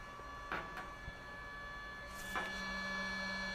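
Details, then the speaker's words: Ryobi RY20UP02 18V telescoping pole pump with 2Ah battery, switched on via on-off button, running dry: faint steady motor whine with light rattle over room hum, running normally. "On off is basically on off. You can hear it running."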